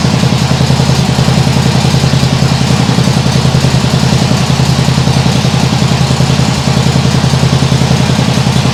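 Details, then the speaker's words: Nibbi G619 walk-behind tractor engine after carburettor work, at lowest throttle: steady low thumping at about three and a half beats a second, even and unbroken, maybe an occasional hiccup but vastly improved; normal low idle. "well that sounds really nice now I think that might still be a bit of a hiup sometimes but it's definitely a vast Improvement"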